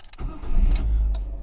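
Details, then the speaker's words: 2012 Ford KA / Fiat 500 starting on a key after key programming with a Lonsdor K518: a brief crank, then an immediate catch and a steady low rumble. Normal engine start. "Okay. And there we go. There's 1 key starting."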